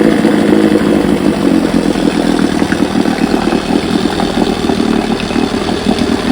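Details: Rebuilt 1971 Evinrude 9.5 HP outboard, model 9122R, barrel test run: small two-stroke burbles at steady even idle with quick crackle, no misses; runs clean and healthy.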